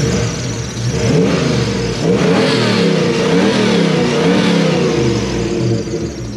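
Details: Toyota 1UZ-FE V8 swapped into a Hiace van, built about 2005, revved after wiring repair with no tune changes (previously chuffy): clean blips rising and falling smoothly from steady idle, no chuffing or stumble; running cleanly.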